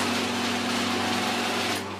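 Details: Genie garage door opener after remote repair (switch pad worn away): steady motor hum runs evenly, fades near the end, then a click; opener runs smoothly and responds properly.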